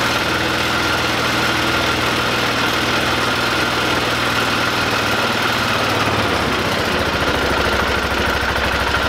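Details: 2005 Polaris Ranger 500 UTV, a non-starting machine being rehabbed, running again after cleaning out and reassembling with the gasket: single-cylinder thump settles into a steady idle that dips slightly partway through, no knocks or misfires; running normally.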